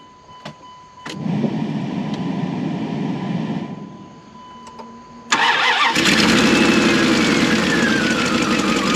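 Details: Junk Dodge Durango with two spark plug wires unplugged (two-cylinder delete): cranks and catches, then settles into a lumpy, shaking idle with an uneven beat; misfire from disconnected plug wires.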